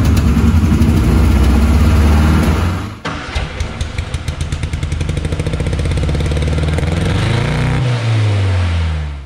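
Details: 1962 Austin Healey Sprite Mark II, long-sitting, first start with frozen carb pistons and unevenly set chokes: cranks, catches about three seconds in with uneven chuffing near four beats a second, stumbling and hunting rather than settling; carbs to be adjusted.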